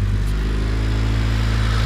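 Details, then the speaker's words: Honda Civic idling after a fuel filter change got it started: steady, even low rumble with no misses, knocks or ticks; sounds good, though plugs were oily and valve seals need replacing. "yeah once I once I change the fuel filter it started right up I have to go back and kind up a little bit it sounds good"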